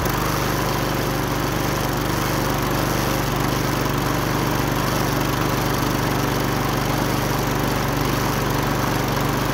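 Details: Wolf TB46B lawn mower, household-clearance find long retired for not starting, test run after fuel turned on and carburettor float bowl filled: steady, even drone at constant speed without misses or surging; running healthily.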